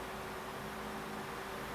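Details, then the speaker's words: Cheap Hampton Bay oscillating desk fan made by Midea, after a rattle mainly at startup first blamed on bearings, now runs with a smooth airy hiss and faint hum; the cause was the blade loose from the shaft, and it is quiet again. "but i think upon further evaluation that the thing has just come loose and it absolutely has now it's as quiet as it ever was"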